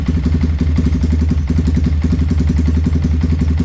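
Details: Yamaha Vixion that had a very noisy, rough engine, after reassembly and fitting a new NGK spark plug: steady, even idle with regular firing pulses and no knocking or clatter; engine runs smoothly and sounds healthy.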